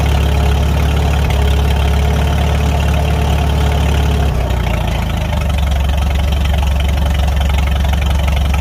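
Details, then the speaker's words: Farmall 300 Row Crop tractor given throttle after the rust-holed exhaust manifold was replaced, the muffler refitted and the clutch adjusted: deep, steady, even beat with a brief speed change. Sounds good; normal running. "Like it. She sounds good."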